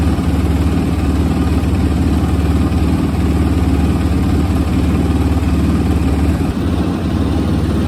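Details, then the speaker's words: 2006 Suzuki RMZ250 carbureted single after sitting, following valve clearance check, carb clean, tune-up and fresh gas: steady, even, low smooth thump at idle with no misses or hunting; clean, healthy idle. "The idle is beautiful now. For a carbureted bike at that, y'all."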